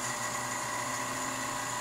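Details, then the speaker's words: Rebuilt Leybold Turbovac 150 turbomolecular pump, water-cooled, on a sputtering setup, spinning up from about 5 Pa: clean, steady high whine over a quiet hiss with no grinding or wobble, a slight shake during acceleration; normal run-up. "oh you can hear it spinning up wo wo wo look look look see it was at 5 now it's at 1 perfect you can hear the whining here you [Applause] go"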